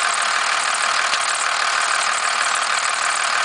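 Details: 1991.5 First Gen Cummins 12-valve diesel, cold start around -10°: loud harsh clatter at idle with uneven rattle about three a second, slight squeal; knock source unknown.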